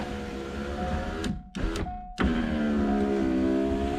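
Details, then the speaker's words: Ford Thunderbird driver's side power window after replacing worn window motor assembly bushings with Supercoupe Performance kit: quick even motor whine, short stops, no grinding or clicking; fast and smooth. "That's a fast window. Perfect."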